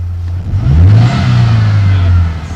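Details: 1991 Ford Ranger 2.3 after EGR valve and MAF sensor cleaning, bogging and misfiring since cam belt replacement: engine blips and settles with rough uneven drone, idling hard, slightly better but still missing; owner suspects idle control valve, valve timing or ignition control module.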